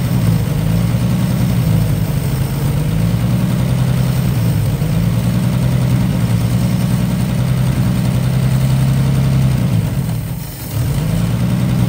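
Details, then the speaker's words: 1955 Chevy six-cylinder running for a few minutes: deep, even, steady run with one brief sag near the end before recovering; sounds healthy, though it still isn't drawing fuel on its own. "we were able to actually get it to run for a little bit longer so that's good uh here run for a few minutes she sounds really nice"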